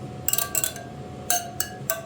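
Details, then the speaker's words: Kawasaki KX450F wheel spokes tapped to check tension: six sharp metallic pings at similar clear pitch; spokes evenly tight. "chime the same and you can tell between those two right there yep see that one was loose now it's the same so that sounds absolutely beautiful"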